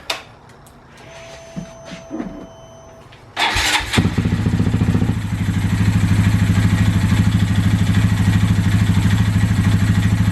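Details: Honda Grom after exhaust and intake side adjustment for a suspected timing noise: starts and settles into a quick, fairly even idle with a steady knocking tick about three per second; noise persists, owner fears rod knock, source unclear.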